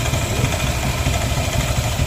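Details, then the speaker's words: Yamaha N-Max scooter idling after repair of a strange noise from the CVT, with the internal threads re-tapped: smooth, even hum with no rattle or scraping from the belt drive; the noise is gone; normal idle. "oke Mamen sip mantap sudah ya suara anehnya sudah selesai mantap josan beres"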